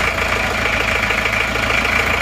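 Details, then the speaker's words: Isuzu Panther diesel, first cold start after new NPR liners and piston rings: a hard, sharp, metallic clatter at every firing stroke at idle. Injection timing set too far advanced, to be retarded later once warm. Diesel knock. "Terlalu maju ini timenya. Tapi ora tim. Timing terlalu maju, tapi sementara gini dulu nggak apa-apa."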